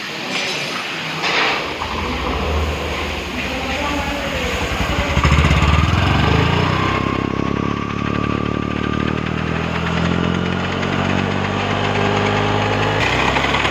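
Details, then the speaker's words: Honda Activa 6G scooter engine: catches and settles to idle with a thin, drawn-out whine riding over the putter; noise attributed to the starter pinion. "Frame number, engine से आवाज़ आ रहा है, पिनियन से।"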